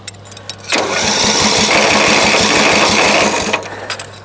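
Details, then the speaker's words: Craftsman LT1000 riding mower, crank no start, on choke. Starter whirs and the engine turns over in even compression pulses for about three seconds but never fires or catches. "this mower has picked up and it won't start and uh try a couple quick things make sure it's on choke"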